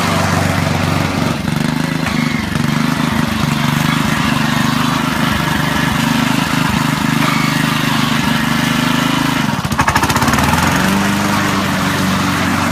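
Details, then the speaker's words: Honda HRD535 lawnmower after repair of gearbox/roller drive problems, single-cylinder engine chugging steadily, holding speed throughout with no knocks or slipping; works satisfactorily, normal running. "I'm just to show you working but it all seems to work satisfactory really it's good enough"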